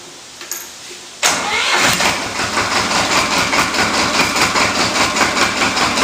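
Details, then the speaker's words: Diesel cold start after about 30 seconds of glow plug warm-up: after a quiet pause it catches at once and settles into a steady, even clatter around two to three beats per second; healthy cold start. "all right so what you're gonna do is go ahead and start it up forgot to give it some throttle"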